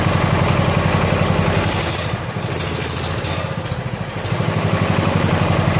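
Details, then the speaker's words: 1970 John Deere 140 H3 garden tractor single-cylinder after head gasket replacement (old gasket leaked severely): steady even thumping about four beats a second, no misses or knocks, quiet, burning off some oil; normal idle. "That thing just fired right up like I just mowed the lawn with it. That thing runs just as good and quiet as the other one does."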